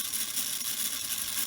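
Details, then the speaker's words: Prewar Lionel 229 locomotive motor, dormant for years, running off the track after new brushes and a cleaned commutator: thin, high, steady, even whir of the small electric motor spinning freely; earlier chattering was from dry parts. "oh yes he's working good i'm happy with that"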